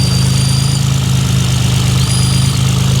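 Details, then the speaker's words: Nissan 300ZX, warming up at idle: a thin high whistle comes and goes when a finger runs along the upper-to-lower intake manifold flange; a blown intake gasket causing a boost/vacuum leak is suspected. "I start running my finger along the edge of the intake manifold here making sure nothing's pinched and then lo and behold you hear that whistle"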